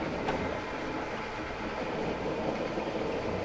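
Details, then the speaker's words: Morey vertical slotter/shaper after drive rework to slow the stroke, driven pulley now slower, feed and stroke engaged: quiet even run, soft regular motion, no knocking or strain; vast improvement, normal. "Oh, that is way better. That is that is a vast improvement."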